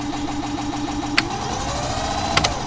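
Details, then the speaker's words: VW Gol G3 blower fan: steady hum with a light, uneven rattle and sharp clicks, caused by a small white piece of plastic caught in the fan. "Então pessoal parece que tem um plastiquinho branco ali ó que é ele que tá fazendo esse barulho"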